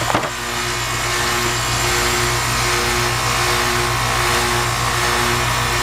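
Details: Dry outdoor condensing unit installed about a year and a half ago, started up expecting it to be low on Freon before charging. Brief thump at start-up, then a steady fan rush over an even compressor hum with no knocking or rattle. Normal running.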